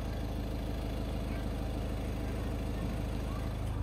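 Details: VW Vento TDI diesel before injector adaptation, fuel tank over half: steady idle with hard even clatter about two knocks a second; excessive injector clatter, fixed by injector minimum deviation quantity adaptation in base settings.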